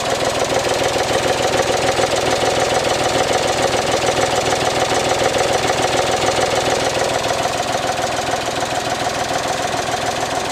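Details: Suzuki Alto HA24 idling with a fast tinny clatter, worse at idle, from the air cleaner box whose rubber support bushing is worn away; holding the box by finger confirms the source.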